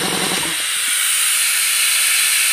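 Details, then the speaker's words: RamAir electric air compressor with tank at about 50 psi and motor stopped: steady high hiss of air gushing out around the regulator shaft; air leak at regulator. "with it not running you could hear it really dushing out"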